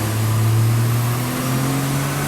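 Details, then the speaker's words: 660cc AWD kei car (Mira) on a dyno with a custom trigger setup, power run at about 10 lb boost: revs flare ahead of the drive like a CVT, clutch slipping; power about the same as stock. "There you go. We made the same power as stock. No, actually it's a tiny bit up with a slipping clutch."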